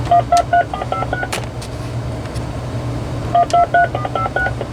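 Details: RadioShack 2554-style corded wall phone (category 43-842) on speakerphone, in tone mode: two quick bursts of dialing tones, each a clean run of distinct beeps. Redial sends the stored number correctly despite the keypad sensitivity issue on keys 3, 6 and 1.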